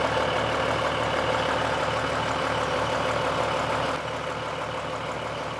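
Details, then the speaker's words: Idling engine with exhaust smell in the cabin: fast, fairly regular puffing tick over the engine note; exhaust manifold gasket leak, bubbles and some smoke seen at the gasket, left to the engine rebuilders under warranty. "I'm pretty confident that I know what is wrong based on the fact that the car inside the cabin smells like the exhaust. So I'm going with that there is probably some sort of exhaust leak."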